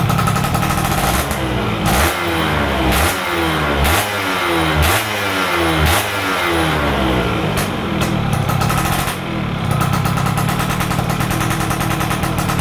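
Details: Stock F1ZR two-stroke during a wet carburetor tune: with the air screw at about 2.5 turns out, crisp blips climb and fall quickly with no stumble, revving fully to the top; normal revving response.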